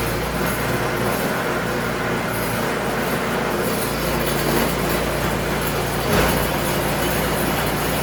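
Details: Craftsman snowblower after a tune-up, carburetor cleaning and fresh 5W30 oil, checked in forward and reverse gears with the auger engaged: a loud, even mechanical drone with no knocks, surging or misses. Normal running.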